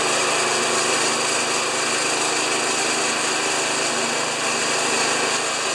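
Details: Old Briggs single-cylinder lawn mower engine after clearing a dirt-packed air filter and replacing thatcher springs: steady, even buzz with no misses, knocks or surging; running properly.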